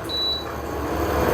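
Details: Induction/infrared cooker: one short, clean, high beep from a single unhurried key press to raise the temperature, then quiet; normal key-press beep, the recommended way to adjust it.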